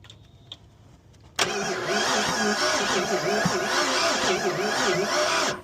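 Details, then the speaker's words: Ford Fox-body Mustang, owner-built heads/cam/intake, weak spark, distributor timing found far off (once 180° out) before re-stab: over four seconds of even cranking with no firing at all; crank no start, ignition timing far off. "So, I just restabbed the timing. The timing was super off. So, timing is good now."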